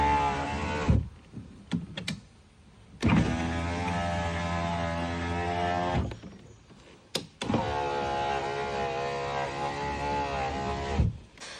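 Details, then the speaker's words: VW Polo power windows after lubricating the dry window mechanism: the window motor hums at a steady, even pitch for about three seconds each way, up and down, with no binding or squeal; windows now working normally. "ഇപ്പോൾ നമ്മൾ power window സെറ്റായിട്ടുണ്ട്."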